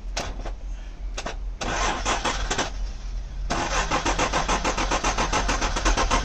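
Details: Junkyard engine (Isuzu/Honda) hot-wired with a screwdriver after ignition switch removal: stop-start cranking bursts, then it catches and settles into a choppy uneven beat about four pulses a second; engine cranks and starts, runs rough, misfire.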